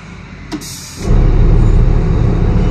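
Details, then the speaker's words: Sinotruk Howo water tanker truck, Weichai WP10 380hp Euro 5 diesel, cranking no-start after dying while running; with a substitute ECU fitted it starts: short air hiss, then catches to a steady, deep, even idle; faulty ECU kept exhaust brake valve and in-cylinder brake on. "Ito po nag-try kami ng ECU ng iba. Umandar na yung makina po."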